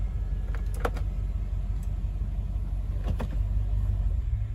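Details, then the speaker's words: 2006 Toyota 4Runner, about 120k miles, after freeing a bound-up 4WD actuator, shifted via neutral: low steady drivetrain rumble with brief clicks as the actuator engages, going into four low and back to high cleanly; normal 4WD shift. "let me see if it'll go into four low okay it's in four low oh yeah it's definitely in four low"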